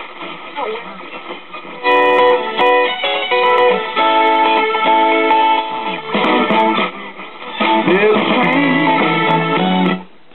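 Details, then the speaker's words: Vintage AM radio (1961 Zenith tube clock radio or late-1960s GE solid-state) just reassembled after repair: clean, steady music and voice with no crackle, dropouts or hum, tinny AM top end; plays properly, though how long it will last is uncertain. "Well, we're back to operating condition. How long it'll last, who knows,"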